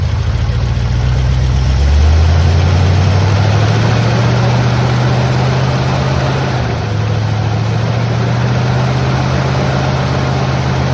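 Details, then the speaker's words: 1979 Ford F100 Ranger XLT, abandoned, dead-cold engine at about 31–32°F after a stall and refuel: steady low rumbling idle that steps up in speed after two seconds, then settles smooth and even; cold engine idling fine. "look at that can you believe it I mean it is sitting there the engine is dead cold it's about 32 maybe 31 degrees outside maybe even colder and it's just sitting there idling that's awesome"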